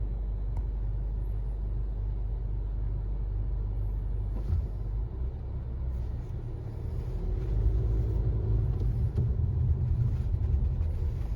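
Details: 2018 Honda CR-V driving, loudest between 25 and 50 mph, present since new: deep steady drone under road rumble with vibration felt at the feet; silent with front wheels lifted; owner suspects hub bearing or tires.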